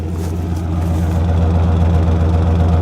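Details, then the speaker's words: Cheap used truck at idle, heard at the new exhaust system after adding oil and replacing a spark plug, oil pressure holding: steady, even low tailpipe rumble, no misses or knocks, running and idling well. "Seems to be running well, idling well. Hear it at the exhaust here. New exhaust system in this thing."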